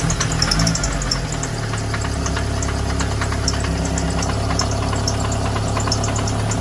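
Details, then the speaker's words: Running car: uneven light ticking and rattle over a low drone; transmission noise from the gearbox area, cause not determined. "Transmission makes noise, so let's see what that sounds like."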